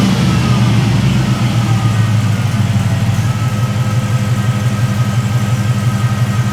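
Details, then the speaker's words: 1973 Chevrolet C10 with an LS swap, long-tube headers and no cats: a deep, even V8 burble with a steady low pulse, smooth under light revs, fairly quiet exhaust with no crackle. Normal running. "But here I will start it up and show you what it sounds like. It's a lot quieter and it kind of sounds interesting."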